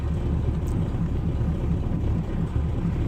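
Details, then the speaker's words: 1987 Chevrolet Caprice, cold December morning start: low loping uneven idle, beats about once a second, laboring and near stalling; owner blames a non-working carburetor choke needing a rebuild. "I need to get that Carberry built so I can have my choking [ __ ] working right because it'll probably shut off in a little bit"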